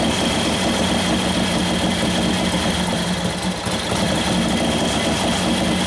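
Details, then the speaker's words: Freshly built 1941 Harley WLD 45 flathead stroked to 56ci with cams, being tuned on fuel mixture and main jet: lively, even exhaust beat with crisp valve-train clatter, revs up freely and peppy; normal running. "Pretty peppy. Get the cams kicking in. It sounds good. It's got some cams in there, you can tell. It revs up nice."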